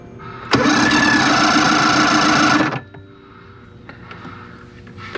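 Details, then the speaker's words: 1993 Evinrude 90 HP V4 two-stroke outboard, spark present, fired on carb spray: starter whirs evenly about two seconds with no combustion, cranks but won't start, definitely not getting fuel. "Pump it. See if it It's definitely not getting fuel."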